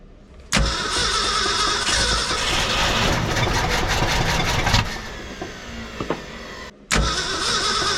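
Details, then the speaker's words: 1966 Ford F250 factory 4x4 with a carburetor that is missing pieces, and a weak battery. The engine fires and runs rough for about four seconds, fades and dies, then catches briefly again. It is starving for fuel and stalling; a new carburetor is believed needed. "well I guess we know we need a carburetor at least that's the longest she's ran"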